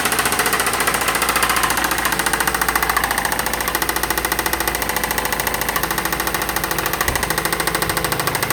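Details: 2008 Mazda 6 running: a loud, sharp, fast ticking about three and a half times a second over the engine, clearly abnormal, cause not identified.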